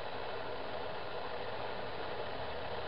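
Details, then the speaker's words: New LiftMaster 8550G belt-drive garage door opener closing: only a faint steady low hum, no clunks, squeals or chain rattle; barely audible, normal quiet operation, far quieter than the old opener. "And I can barely hear anything. It sounds like the washing machine maybe is going. And it sounds like it just closed."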